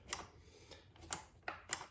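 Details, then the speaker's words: GP1200i generator after carburetor cleaning: five crisp, light clicks in two seconds as the fuel valve switch is flicked back and forth, actuating properly; the switch also turns the engine off. "I can visually see and hear it clicking actuating back and forth you want that to work um cuz that's how you turn the engine off"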